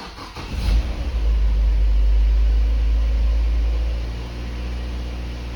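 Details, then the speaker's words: Mazda MX-5 NC, first start after engine rebuild (bottom end, head gasket, timing chain, oil pump), no coolant yet: quick crank, catches right away, brief rev flare, then settles to a steady, even idle; healthy start. "go so there you go as you see should start some nice which i'm pretty impressed with"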